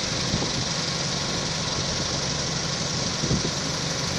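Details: Toyota Camry engine idling with an uneven tapping knock over a busy, noisy idle; owner suspects a bad head gasket, not confirmed.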